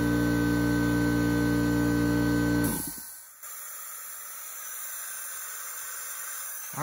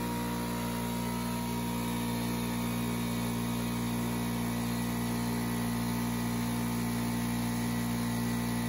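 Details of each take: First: Craftsman 919.165200 5 hp oil-free compressor after bad capacitor replaced and 220 V wiring corrected: steady motor drone cuts off just over 100 psi, then faint continuous hiss lingers as air leaks at the regulator. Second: Craftsman 919.165200 5hp oil-free air compressor after capacitor replacement and correcting 220V cord wiring: even motor drone with quick steady pulse about four beats a second, no rattles or stalling; runs healthy.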